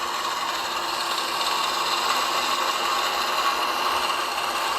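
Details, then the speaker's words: Air conditioner outdoor unit with water poured in to flood the base pan; continuous hissing swish over the fan noise as the slinger ring churns the water and flings it through the condenser coil. "That noise is that slinger throwing the water through the coil."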